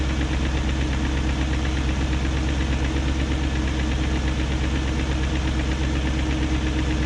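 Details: 2001 BMW E38 740i V8 idling after new timing chain, guides, tensioner and VANOS profile gaskets: smooth idle with quick regular light ticking on top; no codes; owner suspects VANOS unit, cause unconfirmed.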